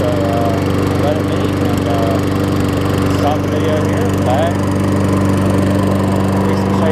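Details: Toro six-and-a-half-horsepower Tecumseh self-propelled mower after repair, with new blade, carb clean and full service. It runs steady and even at constant throttle with no misses or surging and sounds healthy.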